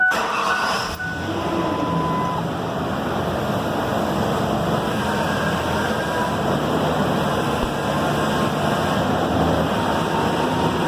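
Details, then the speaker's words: 2000 Ford Ranger 3.0 L 4WD before power steering pump replacement: running engine with steady low whine swelling during steering, worse in warm weather and as fluid warms. "all right I just want you to hear the power steering whine before we get started so let me crank this up and just give you a demo what it sounds like right now"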